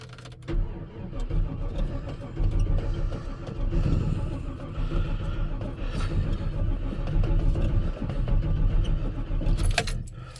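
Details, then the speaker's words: 1985 Chevy Squarebody V8 truck, about 400,000 km, one owner, sitting a while, jump-started with big leads: steady low starter churn for several seconds without firing, likely needing to draw fuel from the rear tank; extended cranking, no start. "so it'll take a little bit of cranking because of course you got to draw the petrol from the back the car so that's going to be your first issue"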